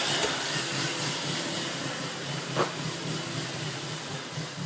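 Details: 2000 Volvo C70 petrol engine: uneven idle, low beat wavering with occasional stumbles; suspected reversed jump-start damaged the ECM, where a burnt lead on the circuit board was resoldered, fixing the issues.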